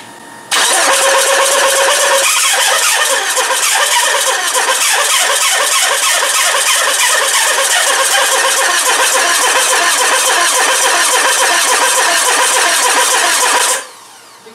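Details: Mitsubishi RVR 2.0 L petrol with electrical problems: starter cranks steadily about four beats a second for thirteen seconds, never catches; LED tester on injectors blinks at ignition-on but shows no pulse while cranking.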